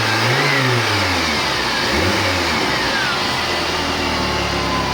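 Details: Chevrolet Niva after replacing a badly worn rocker that caused a cylinder-head knock: revs up and settles cleanly, smooth even note with no top-end ticking; valvetrain healthy after repair.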